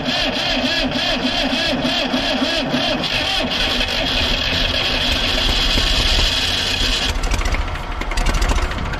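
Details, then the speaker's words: Old diesel Tower vibratory roller compactor, sitting 30 years, first start attempt: cranks and catches with rough, uneven chatter, then fails to keep running at idle; owner suspects not enough fuel from injectors. "man not staying running for some reason I don't think we're getting enough fuel from our injectors or something"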